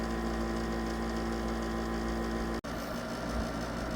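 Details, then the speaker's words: 1972 GE Slumberline 6000 BTU window air conditioner with GE rotary compressor and GE fan motor, newly installed, running on low speed and getting cold; smooth even low hum, soft fan rush, no rattles or knocks; normal running. "It's getting nice and cold. Sounds good. That's how it sounds running on low speed."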